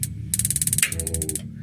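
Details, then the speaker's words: Modena magnet-type gas water heater, magnet switch plugged in and main switch connected: quick, even burst of sharp igniter ticks at about twenty a second, then stops; magnet switch normal, the main switch was the faulty part. "berarti magnet switch sekarang ternyata normal. Nah, berarti yang bermasalah saklar utama begitu."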